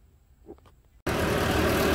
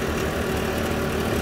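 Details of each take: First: RV furnace (model 8535-IV) blower after rattle repair with a new blower fan wheel: starts after a second of quiet, then a steady, even rushing whoosh; normal operation. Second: RV furnace, model 8535-IV: steady blower roar with a coarse, even rattle underneath that returned and is getting worse; broken blower wheel fins chattering in the housing.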